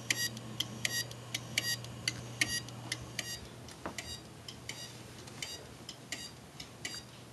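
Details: 2005 Maxtor hard drive in a Dell computer: bright, uneven clicks about eighty per minute over a low electrical hum; the drive has failed and the BIOS reports a secondary master hard drive error.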